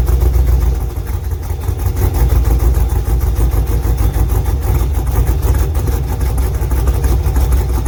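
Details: LS2 V8 in a third-gen Camaro pro-touring car, just after a cold start following an oil change: lumpy, deep loping idle with no knock; the earlier knocking is gone; normal running.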